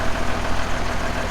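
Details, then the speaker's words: Old diesel dump truck, full load, after it lost prime (clogged water separator suspected): settles into steady, even low idle with firm beat, no stumble or surging; normal idle drawing from the tank. "No, it's definitely pulling from the tank now for somehow."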